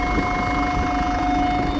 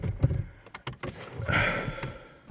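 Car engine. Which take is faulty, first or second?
first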